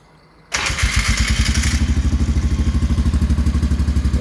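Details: 2001 Sportsman AWD ATV after a used stator was fitted, replacing one destroyed by magnets fallen off the flywheel: the engine catches at once and settles into a steady, even thumping idle.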